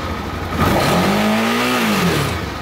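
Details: Suzuki DL650 motorcycle with fuel pressure measured at about 1.5 against a 3 spec, after injector sync adjustment: revs surge and sag with a rising and falling whine, and idle won't hold. Clogged pump strainer or pressure regulator suspected.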